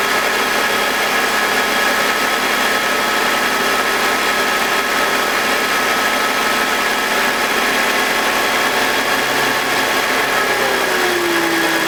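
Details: BMW E46 with M52TUB25 engine at idle, exhaust VANOS disconnected: steady even whirring, constant speed, no grinding or rasp, no RPM drop. Owner suspects the VANOS causes a grinding noise, worse at startup, heard when connected. Normal idle without grinding.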